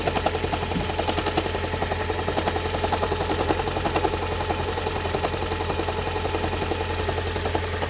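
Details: Engine at steady idle with a light, fairly even tick about twice a second riding over it; the ticking's cause is not yet pinned down.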